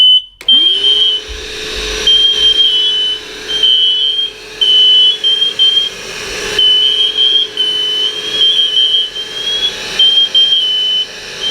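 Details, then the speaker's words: Set of interconnected MatElec hardwired and wireless smoke alarms triggered by smoke: shrill alarm chirps in repeated bursts over a vacuum cleaner drone as the smoke is sucked out. The unit flashes red and sets off the others. "so bit of smoke going into it starts flashing red and starts going off the other ones will start making noise"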